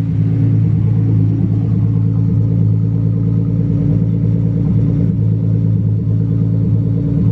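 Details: Datsun 280ZX turbo L28E six on new Haltech 550 ECU, first start: deep, steady, even idle held a little high, smooth quiet exhaust, no misses or knocks; engine healthy, idle to be turned back down.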